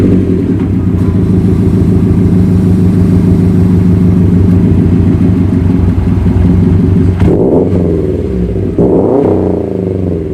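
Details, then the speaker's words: Subaru WRX with STI wing and a muffler delete by the previous owner: deep loud burble at steady idle, then two quick blips rising and falling cleanly; runs fine, just a loud open exhaust. "the previous owner did a muffler delete on it it doesn't sound half bad"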